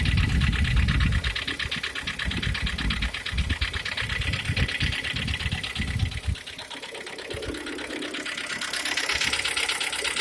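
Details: G4KD engine, 102,000 km, at idle: steady tapping knock about three beats a second over the engine note; cause not yet pinned down.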